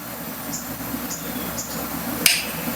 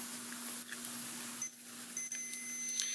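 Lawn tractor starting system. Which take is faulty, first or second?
first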